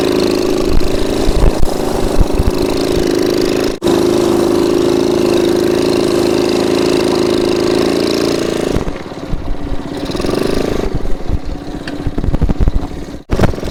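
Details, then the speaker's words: 1969 Honda CT70 small single-cylinder, bought as a non-runner and just revived, choke opened; idles with a steady, even hum, no knocks or misses, then drops off; sounds healthy. "Listen to how nice that sounds."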